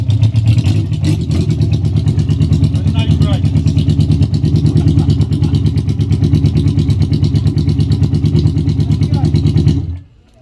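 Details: Yamaha XJ600 four-cylinder after its carbs were filled directly through the fuel pipe, with a newly fitted fuel pump and tap. Steady, even exhaust beat for ten seconds, then cuts off; runs cleanly with no misfire.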